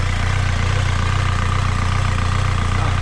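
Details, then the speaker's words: Skoda Octavia 1.9 TDI diesel after injection pump replacement, with intake manifold off: loud even chug with steady beat and open intake roar, no misses or hunting; idles normally. "Là, il fait du bruit parce qu'il n'y a pas d'admission."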